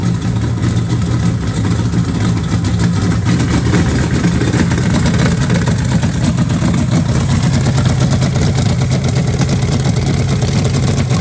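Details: Freshly rebuilt Chevy 350 for a 1968 C10, first fire on a test stand in freezing weather, with an out-of-box Brawler carburetor and Hedman headers. Loud, even V8 rumble with no knocks, misses or rattles; runs healthy.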